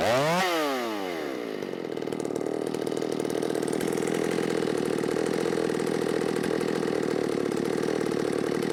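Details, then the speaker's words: Ported Shindaiwa 757 chainsaw, 24-in bar, 8-pin sprocket, low-speed mixture leaned out: quick blips then a steady, slightly choked cutting buzz; flat-cut muffler mod outlet sits against the log so the exhaust can't breathe. "one thing I will will say I kind of screwed up on the muffler mod with this because I cut that off at a flat angle and so it looks cool but you could probably hear it it was getting right up against the log and it can't breathe"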